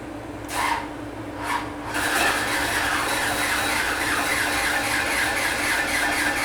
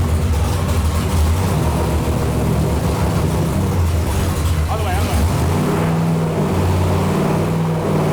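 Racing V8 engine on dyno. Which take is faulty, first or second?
first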